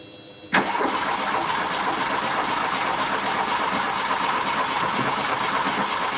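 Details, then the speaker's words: Engine that previously would not start catches abruptly and settles into a ragged, hissy, unevenly rough run; owner suspects a massive air leak somewhere, not confirmed. "It sounds like it's got a massive air leak somewhere to be fair as well. Massive air leak."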